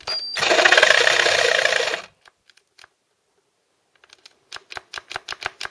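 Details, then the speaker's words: Ryobi 18V One+ tool run from a 12V laptop power supply via dummy battery case, cutting wood: motor whirs hard under two seconds then dies, only light clicks after; power tool cutting out under load, supply fuse blown. "I've done it good that time yes it's gonna blown the fuse I think"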